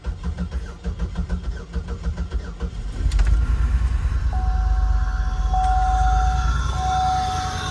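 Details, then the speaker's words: 2004 Buick LeSabre, first start in about 3 years after a fuel pump replacement and fresh fuel, airbox disconnected and no air filter: about three seconds of cranking, then it catches into an uneven, lumpy idle; cause unconfirmed. "Running. Sounds a little weird."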